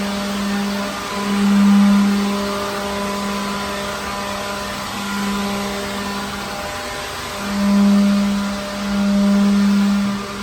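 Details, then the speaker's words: Second-hand leaf blower clearing dirt from a truck trailer. Steady fan whir with a clear tone that swells and eases as the trigger is worked; running strong; normal. "Wow, okay, so then that's just on one little go around here. I can always come back and do it, do it one more time over just to kind of get whatever I might have missed. But this thing's pretty good."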